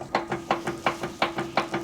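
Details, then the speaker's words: Jeep JL, wheel rocked back and forth: rapid dry clack, about five or six a second, tracking each rock of the wheel; play suspected in the steering box, same noise as its death wobble. "It's the same noise it makes when it death wobbles. Steering box."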